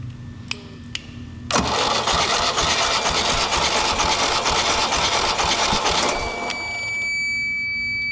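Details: Mercruiser 3.0 boat engine cranking during a compression test (cylinders reading 120–130 psi): steady, even cranking for about 4.5 seconds with a regular beat and no catches or misses. Healthy cranking.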